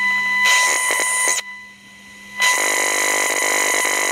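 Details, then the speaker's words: Audio amplifier fault traced with a homemade interference-tracing probe at raised sensitivity: rough crackling hiss over a steady whistle pinpoints a very noisy inductor, which was then swapped for one from a scrap chassis to fix the audio problem. "I think we found our culprit. We've got a very noisy inductor down here."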